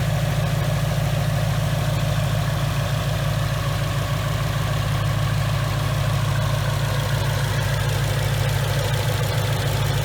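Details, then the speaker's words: 2019 Mustang GT with Whipple supercharger, new built engine after a broken piston and melted catalytic converters, breaking in on BR30 oil: deep, even burble at idle with steady rhythm, no misses or knocks; runs smooth. "I just want you guys to listen to see how smooth this thing runs"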